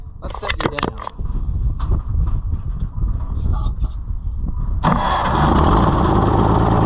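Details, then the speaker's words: Oliver 70 tractor, first run after a carburetor rebuild, owner suspecting insufficient fuel delivery: sharp pops and cracks through an uneven, stumbling run before it roars up; backfiring and running rough, cause not confirmed. "down oh [Applause] backfire conditions are worsening o too [Applause] much"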